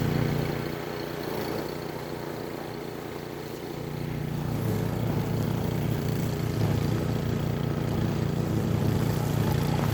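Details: Toro 22-inch 163cc string mower model 58620, Briggs and Stratton engine, cutting weeds up to about 2 inches at lowest setting: steady drone dips briefly as it bites into weeds, then recovers and holds even; engine runs smoothly, normal under load.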